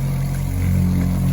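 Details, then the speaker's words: Shurflo 2088 series water pump in a van after the silencing kit install and a flexible inlet hose change: loud, constant low droning hum with buzzy pulse, no quieter by decibel reading; it self-primed and fills faster. "Well, I don't think it's any quieter. Let me take a decibel reading. So, no quieter at all."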